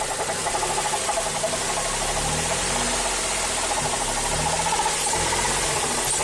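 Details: Mazda3 GT 2.0 at idle with a light, fast knock from the engine bay that keeps pace with engine speed. The source is not pinned down, and the owner suspects the A/C compressor clutch.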